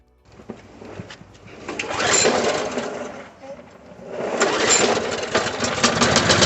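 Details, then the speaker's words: Lawn mower after a complete tune-up, carburetor work, fresh oil, a full tank and priming; the small engine catches, surges, dips once, then settles into a steady buzzing run with a little smoke; normal running. "Alright, guys, the machine's working good. It's gonna throw a little bit of smoke because that's the way it is."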